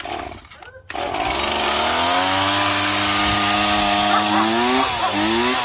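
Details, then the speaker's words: Stihl MS170 chainsaw after fitting a new aftermarket Walbro WT325A-type carburetor, run with the air filter removed and started on half choke: cord pull, catches and climbs to a steady high buzzing run without stumbling; runs fine, air filter and spark plug still to be replaced. "Runs real good. I'm gonna get a air filter and a new spark plug."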